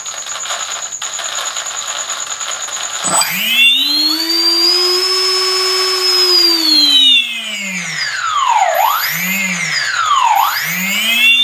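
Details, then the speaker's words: ZOHD Dart XL stock brushless motor, early version, bench run after maiden flight: rough gritty whine dipping and rising unevenly with throttle, cogging-like; motor was noisy and losing power in flight, landed after about 10 minutes, failing. "so the main issue i had with this motor here on the maid and as you heard i'll show you here it's just um it was making noises losing a lot of power so i landed it pretty quick after about 10 minutes"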